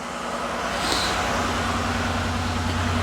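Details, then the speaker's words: 2005 Mazda Tribute (Ford Escape) after torque converter replacement, fresh water and charged battery, idling while warming up: steady, even hum with no knocks, ticks or rattles; starts fine, no check engine lights. "Sounds good when you start it, no issues. No check engine lights."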